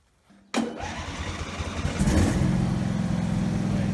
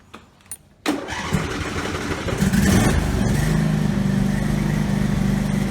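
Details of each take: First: Husqvarna lawn tractor single-cylinder engine after fixing governor shaft not secured to governor arm (previously racing out of control): starts at once, steady even high-speed run at about 1900 RPM, no surging or hunting; governor holding speed properly. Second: Husqvarna riding tractor that was racing out of control, restarted after refitting the governor shaft that had slipped on the governor arm. It catches quickly and holds a steady, controlled idle without surging, but the throttle does not respond.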